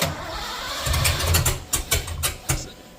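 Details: 1986 Ford F150, 351W, new Holley Sniper EFI and HyperSpark distributor, first crank: starter churns unevenly, engine catches but won't run; distributor clocked one plug off, number one not set right.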